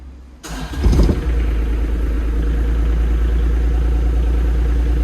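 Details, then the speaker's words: Develon excavator after new hydraulic pump and valve slice fitted, start after priming: cranks and catches within a second, surges briefly, then settles to a steady even low diesel idle, no grinding; sounds healthy. "That sounds alright, like."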